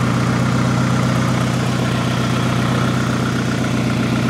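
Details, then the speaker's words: 2011 Hyundai Genesis Coupe idling, heard near the tailpipe: a steady, slightly uneven idle with faint puffing under the rumble. A small exhaust leak is suspected, probably a cracked or breaking flex pipe, not confirmed. "Sounds like I got a little exhaust leak somewhere up here. Probably a flex pipe, I would imagine, down there is cracked or breaking."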